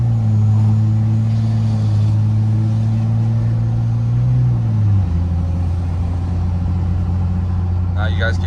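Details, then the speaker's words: 4th Gen Cummins 2G swap, 750hp-capable, on tune file 3, accelerating with windows partly up: steady diesel drone, then an abrupt pitch drop at the shift, a slightly soft flare that is normal after a new valve body and quick relearn. "you guys can hear the transmission kind of moving around a little bit. It's pretty normal for just doing a new valve body with a quick relearn."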